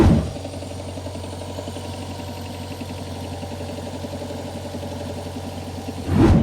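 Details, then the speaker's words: Toyota Sera idling with a steady repetitive knock under the exhaust note, appearing right after driving about 30 seconds at 5000-6000 rpm uphill when the engine died; cause unknown. "I stopped, turn on the car and there was a sound like “knock-knock-knock"."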